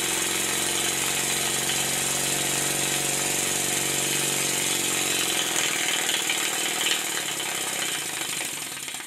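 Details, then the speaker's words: Stuart 10H steam engine on a test run, timing not yet perfect, a bit tight, crankshaft bent: fast, uneven chuffing with lopsided beats, slowing at the end; slide valve out of place relative to the ports, eccentric rod disconnected to reset. "I can tell by ear that the slide valve is not in the right place relative to the ports, and for that reason I disconnected the eccentric rod from the valve fork."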